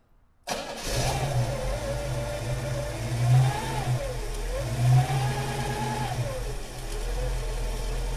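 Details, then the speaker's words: 1934 Ford pickup street rod, 350 Chevy V8 with Pete Jackson gear drive instead of timing chain, 650 Carter carburetor, restarted: even idle with a clear whine rising and falling with rev blips; normal gear drive whine. "So we just started it, but we're going to start it again, and what you're going to hear, you can hear the gear drive."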